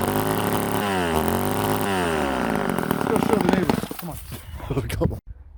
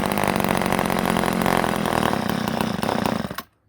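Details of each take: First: Old Ohlsson & Rice two-stroke chainsaw, sat 20+ years, after blowing it out restored fuel: revs climb and fall cleanly through several throttle blips, then settle toward idle before shutting off. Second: Ohlsson & Rice chainsaw sat 20+ years, primed with gas into the carburetor: fires and runs rough about three seconds, fades and dies abruptly; owner suspects a plugged fuel line starving it of fuel.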